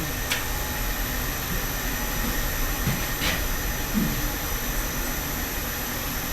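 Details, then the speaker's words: 1 hp Grundfos pump on VFD in rainwater system, running with water in use: steady even hum with faint high electronic whistle, no knocks; pressure climbing normally, pressure tank shot. "All right, let's use a little bit of water and watch the VFD pump run."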